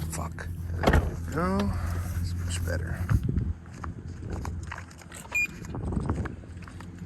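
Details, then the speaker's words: E30 BMW (1984 318i chassis, turbocharged M20 2.7 eta engine) idling cold: the central door lock gives a short, high, rising robotic whine instead of its usual deeper thunk. The actuator sounds abnormal. "That is fucking weird. Why does it? It's never. The lock has always been like a lot deeper pitched. Sounds like it's a fucking robot."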